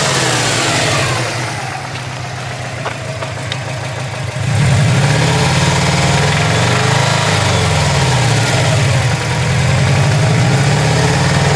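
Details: 2003 Subaru WRX, EJ205 turbo flat-four, 130k miles, metallic knock at idle and through a rev: spun bearing, caused by bearing failure from inadequate oil level.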